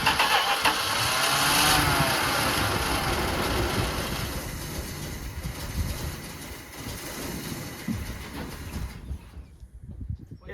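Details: Engine cranks, catches and runs roughly for a few seconds, then fades and dies as if fuel-starved; the fuel filter fills then empties, and they suspect it is sucking air somewhere, not confirmed.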